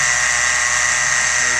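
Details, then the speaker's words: 2013 Jeep Wrangler JK 3.6L Pentastar, engine running, heard through a metal pipe held on the idler pulley: steady, high-pitched whirring whine; worn idler pulley ball bearings, not the alternator. "you could hear that awful lot of noise coming off of here I did try it earlier over here on this one and this one is very quiet so I'm quite convinced now that what I have is a very bad a very bad set of ball bearings"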